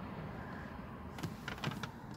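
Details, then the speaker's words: VAZ 2114 (Lada Samara hatchback) rear seat backrest: a few short sharp squeaks over a low hum as the backrest shifts. The seat back latches squeak because a latch is loose and unscrewed. The intended fix is steering tie-rod end boots fitted over the latches. "скрипит блин вот этот задний диван здесь замки и вот она там все мерзко скрипит"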